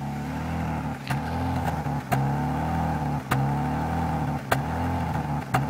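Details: BMW E46 after new DISA, engine mounts, PCV and hoses, spark plugs, fuel filter, fuel pump and water pump: smooth from start but after blipping the throttle the idle dips and surges about once a second; erratic idle, cause unknown.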